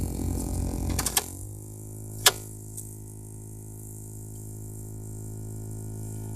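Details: Opel Astra H with a CD30 MP3 radio: after a couple of clicks, a steady low hum with a faint buzz from the loudspeakers. Electrical speaker noise of unknown source.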